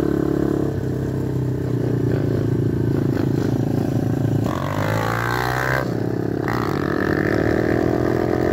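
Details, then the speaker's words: TaoTao DB17 125cc Amazon pit bike, carburetor idle adjusted up after it idled too low and wanted to cut off: single cylinder revs cleanly several times and settles back, crisp and even, no misfires; runs well. "but the bikes actually run awesome. I did have to adjust the carburetor a little bit."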